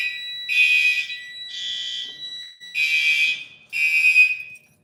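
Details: Fire alarm activation: repeating bursts of a high, steady electronic alarm tone with short gaps, and relays audibly clicking inside; the alarm is sounding normally.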